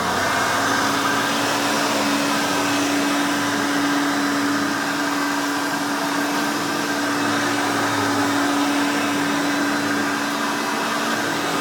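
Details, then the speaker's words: Vintage 1991 Hoover Elite 5.0 Limited Edition U4601-900 upright vacuum switched on: steady, screaming, overly loud high-pitched motor with constant tone, no rattles or speed changes; running healthy with a fairly new brush roll. "So now let's go ahead and turn this baby on and let's hear it in all her screaming, overly loud Hoover glory."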